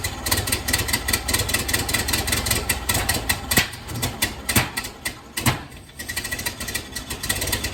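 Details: 1931 Ford Model A stored in a barn for a few years, started with starting fluid, ignition timing advanced all the way just to idle. Four-cylinder lopes unevenly with irregular pops and stumbles; rough idle, timing suspected far off.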